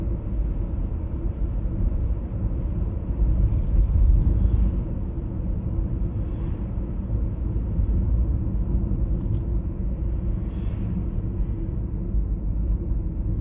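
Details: 1996 BMW E39 523i automatic (pre-facelift): low, steady droning hum under road noise at cruising speed, heard at 50–60 and 70–80 km/h; source not yet found.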